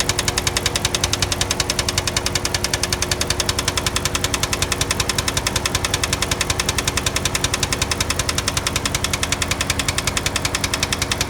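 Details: 2005 Chrysler 300C 5.7 Hemi at idle: sharp, very even ticking about two per second over the idle; a steady engine tick, cause not yet known.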